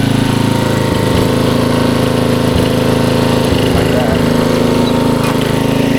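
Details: 1994 Troy-Bilt 33-inch walk-behind mower, Model 34044, Briggs & Stratton engine, throttle all the way up: steady, even single-cylinder drone with only light clicks from the drive. Runs cleanly, normal running.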